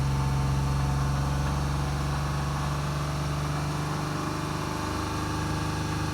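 Deep, steady idle hum with a faint regular rattle riding on it, roughly four per second; a knock of unknown origin.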